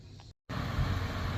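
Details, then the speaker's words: Quietside QSHC241 mini-split outdoor fan after replacing its weak capacitor with a larger one (fan previously slow, hard to start): after a short gap, strong steady rush of air, no buzzing or hesitation, spinning at much higher RPM; normal fan. "So the fan is spinning at a much higher RPM. That larger capacitor really does a lot more work than the smaller capacitor to get this fan kind of kick started and spinning a lot faster."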